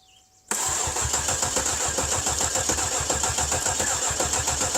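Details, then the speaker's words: Cadillac with the 300 HP Northstar V8, after a battery was fitted: the starter churns steadily at about three and a half beats a second but the engine never catches, and a "theft system problem" message appears. Cranks, won't start. "all right so it did say theft system problem car may not restart"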